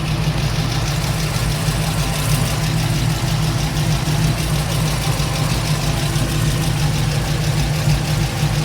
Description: Trying to figure out if my ticking is the headers or valve train